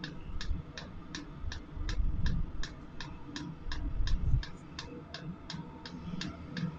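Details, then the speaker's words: Chinese AliExpress Webasto-style diesel parking heater during restart and warm-up: sharp light clicks about four a second over a low rumble; the diesel pump's "clac clac" sending fuel into the heating body, ticking normally. "voilà quand on entend le bruit de la pompe là les petits clac clac claque c'est la pompe de gasoil qu'en voit le gasoil dans le corps de chauffe"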